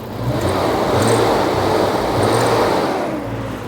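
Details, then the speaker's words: 335,000-mile BMW E34 M5 six, revived from a California junkyard, rises and falls smoothly through a few revs with no misses or knocks; normal free-revving running. "oh it runs perfect smooth oh yeah oh it actually revs up now yeah that's a happy"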